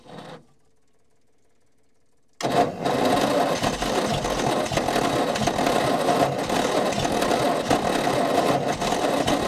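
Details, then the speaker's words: Old petrol Bedford tip truck (owner guesses early 60s–mid 70s), sat 10+ years; spark retarded further as owner guesses timing too far advanced. After a pause, steady cranking about three and a half turns a second without a single catch; hornet's nest later found in carburettor. "I'm only guessing the timing's too far advanced. That'll make it earth a bit better if I move it around a bit. Righto, we'll try it there. Might just retard that spark back a little bit more."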